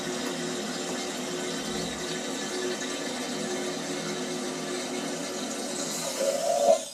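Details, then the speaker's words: Toilet cistern refilling after a cheap DIY fix of a leak trickling into the bowl: a steady hiss rises briefly, then cuts off as the ball valve shuts. No leak noise remains and the refill is normal. "right it's stopped the system's full up now because the the ball valve is closed"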